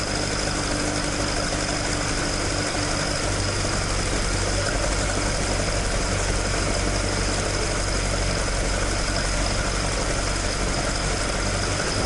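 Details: Toyota AE86 with 4AG engine after exhaust leak repair, stock exhaust sound: even steady low idle drone, no ticking or puffing from joints; exhaust sealed and normal.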